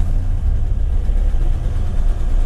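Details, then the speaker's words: 1960 Ford Ranchero V8, cold start after choke pulled slightly and gas pumped twice; fires right up into a deep, steady, even low rumble with no knocks or misses: normal cold idle. "fires right up you can actually you can hear the engine"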